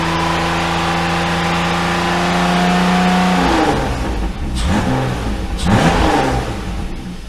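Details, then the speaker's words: BMW E34 with new S52 swap, after camshaft change to diagnose a problem, first start after two months' sitting on weak battery, mic near engine: steady idle, clean rev blips, even firing, normal mild valvetrain noise; healthy. "It sounds okay. Some valve train noise is about normal, but I think we're good, to be honest with you."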